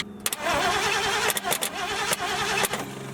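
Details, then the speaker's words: 1974 Ford Galaxie 500 that sat two decades and survived a tornado: starter churns the engine unevenly with clunks, no firing; crank no-start, no spark at the plug or at the cap and rotor; worn, thin points suspected. "so then I pull the cap and rotor no spark there either"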